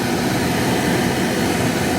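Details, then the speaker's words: Porsche 914 heater blower just replaced after the old blower motor broke, tested on the car: an even, steady whooshing whir with no squeal or grind; it works normally, just a little noisy, possibly as loud as it always was. "Looking good. A little bit noisy though. Not sure if that's sort of how noisy my blower is anyway,"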